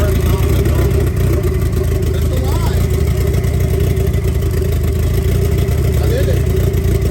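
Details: 1990 Mitsubishi Eclipse GSX, first start after intake manifold reinstall, primed by cranking with plugs out for oil pressure; catches and runs with a steady rumble, picking up on light revs without knocks or misfires; healthy.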